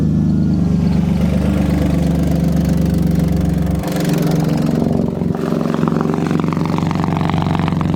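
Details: BMW E36 drift car after an exhaust leak was patched with exhaust putty and left to cure 12 hours, driving: loud, steady engine with a deep exhaust drone and small shifts in revs, no puffing or ticking from a leak; exhaust sounds sealed after repair.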